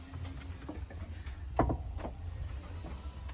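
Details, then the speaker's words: Mercedes-Benz 190 (W201) trunk lid springs after the fix: only soft low thumps as the lid opens and closes, no squeak at all. "вообще ничего не слышно"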